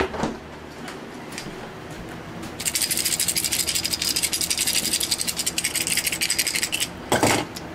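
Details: Refrigerator compressor start relay that failed, shaken by hand: about four seconds of fast loose tinny rattling; relay broken inside, replaced to fix the fridge.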